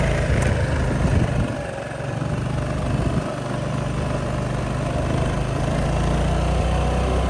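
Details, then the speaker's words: Honda Helix scooter bought for $10, first ride after getting it started: a steady, even engine drone with some wind, pulling strong with no misses or knocks. "So it runs pretty good, actually. Not bad at all. Pulls strong too."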